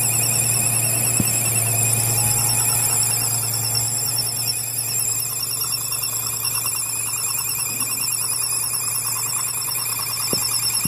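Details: 5.7 Hemi engine making a piercing, warbling high-pitched squeal steadily over a low engine hum; abnormal noise, source not pinned down.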